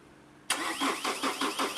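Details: Chevrolet Cruze diesel with starting problem and stored fault codes: starter cranks steadily about five turns a second, engine never catches; fuel pressure checked, cause found as a bad engine earth/ground.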